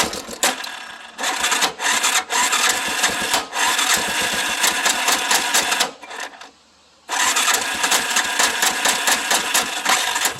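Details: Hard-starting engine running choppy and uneven with harsh metallic tapping from a noisy top end, stumbling and briefly dying.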